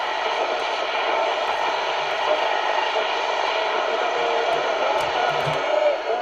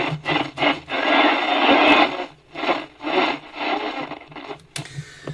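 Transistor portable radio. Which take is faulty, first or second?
second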